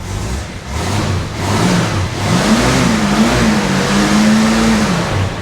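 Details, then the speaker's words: Carbureted XC after a carby strip and refit, with fuel issues suspected from a clogged tank pickup or fuel filter; free-revs with no load, revs rising and falling smoothly without stumbling or popping; runs normal, trouble only under load. "Righto, Carby's back on, filled her up with fuel, we're good to go. It runs normal."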